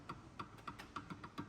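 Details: Ford Ka 2015, right-side front suspension: quick, light clicks about five a second from play at the shock absorber rod, a hard-to-diagnose noise; car feels like it's falling apart when driven, fix is replacing the shock.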